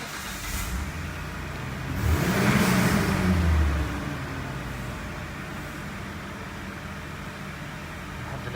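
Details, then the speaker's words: Mitsubishi Pajero after fixing an intake manifold air leak (excess RTV on gasket, broken bolt) with new gaskets; first start after repair: brief blip then a steady, even idle with no shake or rpm hunting. "الان السيارة صافية، كنا نحس اكثر شيء بالرجفة لما نركب جير وننزلها على الدي، نلاحظ ان السيارة ترجف والار بي ام بيلعب شوي. لحد الان كل شيء صافي وكله تمام الحمد لله."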